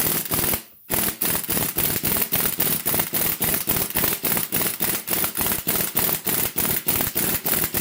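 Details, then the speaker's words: Air impact gun seating extended wheel studs on an Integra rear hub, compressor running: quick regular hammering rattle at three to four blows a second after a brief pause, gently wrapping rather than hammering; normal operation. "Air compressor's going to come on, so it's going to be kind of loud. You're not just hammering it in, you're kind of just wrapping it, you know."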